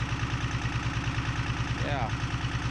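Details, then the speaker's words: 1975 Chevy diesel stepside that sat 32 years, just after a cold start: fast, even clatter at about ten beats a second; the idle is set too high and needs backing off at the idle screw, the governor, or both. "okay I feel the idol is set a bit High that's fine I think I can back that off it's either this adjustment or the governor adjustment or both"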